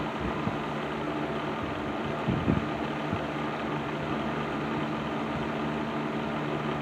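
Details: Patton 12-inch box fan (later model, black Patton-branded Fasco motor) after servicing, running on low speed in a window: smooth steady whirr, faint brief rattle, bearings free and quiet; still slightly rattly but much improved from before.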